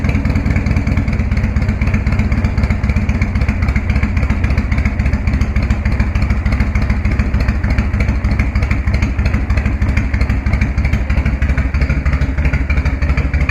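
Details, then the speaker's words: 1999 Harley-Davidson FLSTF Fat Boy started cold on choke right after an oil and primary oil change: deep, loping V-twin potato-beat idle with no knocks or ticks, healthy and ready to ride. "Don't you just love that sound? I think we're good to ride."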